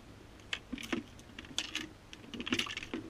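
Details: HEXA hoverboard used a few weeks: light metallic clicks and jingles in irregular bursts as the board moves, something loose rattling inside the shell; owner worried about battery fire risk, though the unit is UL certified.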